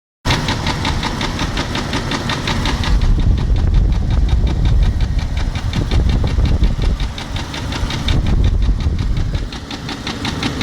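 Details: 2003 Jeep Grand Cherokee 4.0L six-cylinder idling with a steady, regular knock at about three beats a second; owner unsure if it's a broken piston skirt, rod knock, or loose timing chain guide.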